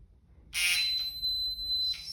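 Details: Digital torque wrench with 14 mm deep socket tightening a Denso injector clamp on a Mitsubishi MQ Triton 4N15 diesel to 70 Nm: a steady high-pitched beep for about a second on reaching set torque; normal alert.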